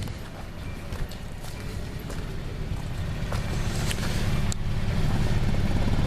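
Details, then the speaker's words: 2001 Hyundai Elantra four-cylinder at idle while warming up, lumpy uneven stumbling misfire; coil pack, spark plug wires and a sensor already replaced, misfire finally traced to worn spark plugs. "fine yeah it's definitely missing that's been replaced the coil P that's been replaced uh spark wir has been replaced and some sensor back there's been replaced"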